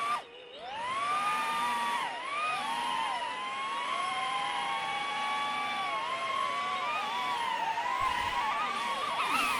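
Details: Beta95X v3 Cinewhoop maiden flight, newly fitted RadioMaster Nano receiver, without Insta360 camera: high whirring tones rising and dipping with throttle in a steady hover, no grinding or rattle; normal healthy motors, some drift.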